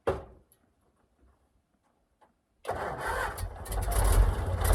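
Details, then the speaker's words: 1956 Oshkosh plow truck six-cylinder (year uncertain, engine governed at 2800 rpm), started in winter after cleaning points, swapping coil, adding gas tank, no coolant; catches at once into a low, somewhat uneven idle that keeps running, a good start. "well that went better than I thought it would"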